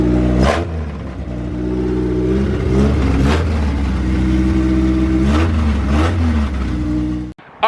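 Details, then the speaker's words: Honda EJ2 chassis with swapped B20Z1 four-cylinder on a junkyard PR4 ECU, first start, no exhaust fitted yet; loud open-pipe revs in repeated blips returning cleanly to steady idle, no knocks or misses; normal running. "guys so the car is now on you guys just saw it with us for the first time and it sounds good hopefully it sounds better with the exhaust"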